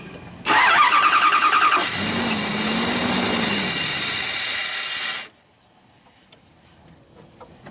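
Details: 2009 Dodge Durango with a crank-no-start (fuel pressure should be about 49 psi): cranks, catches on starting fluid, runs evenly a few seconds, then dies; no fuel delivery, fuel pump suspected.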